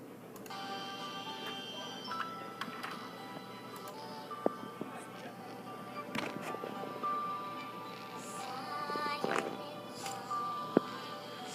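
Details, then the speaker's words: Sennheiser HD600 headphones playing music with a buzzy rattle on certain notes; the driver alone is fine, but the rattle returns in the housing, where the grille's center ring touches the driver. "as you guys can hear the rattle is still there so after I inspected each drivers the problem I found is actually pretty astonishing"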